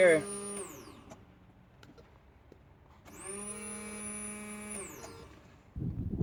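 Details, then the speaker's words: Nissan B13 Sentra turbo build, new 255LPH high-flow racing fuel pump just installed with return line clamps and connectors, key turned on: smooth electric hum sweeps up, holds about two seconds, winds down; pump primes normally. "I have 1 fuel pressure clamp on it, had the 2 connectors on it, and I'm gonna turn the key on to make sure everything is working."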